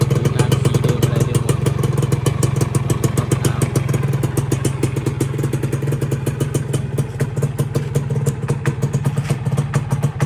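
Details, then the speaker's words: Dash New, year 44 (Thai), stock motorcycle, started cold: quick, even crackling two-stroke putter holding a steady idle with no misses or knocks; healthy cold idle. "เดี๋ติดเครื่องให้ฟังนี่เครื่องเย็นๆอันนี้เครื่องดีมากครับ"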